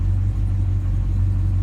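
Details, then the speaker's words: Slightly modified, near-stock engine on Easy EFI, idle set at 650 rpm: steady even low rumble at slow idle, no misses or knocks; runs smoothly, healthy idle. "The idle's dropped down. I have the idle set at 650. I mean, this engine runs so smooth it can idle at 600 probably."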